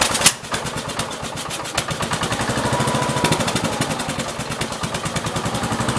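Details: 1969 Gravely 432 with a freshly rebuilt K321 14 hp single-cylinder engine and a new piston, running for about half an hour. Even, steady thumping with regular firing and no knock or clatter; healthy normal running. The owner suspects a fuel pump problem.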